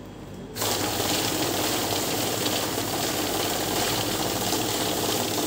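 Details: Kavinstar Prime heavy-duty cash counting machine with fake note detection: motor spins up, then a fast, even flutter of notes feeding through without pause; the counter is running normally in continuous mode.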